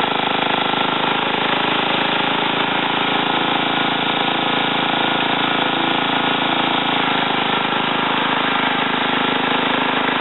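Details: Ariens TA20A Trans-a-matic tiller after engine rebuild and plate clutch repair, carburetor untouched, tilling wooded ground: engine holds a steady, even drone under load with no misses, surging or knocks; normal running under load.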